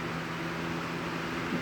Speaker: and honestly medium on this fan is very noisy this is actually a bit louder than what my aerospeed box came from high speed